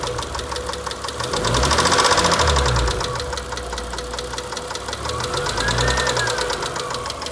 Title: 2003 eclipse 3.0 rod knock? What is this sound?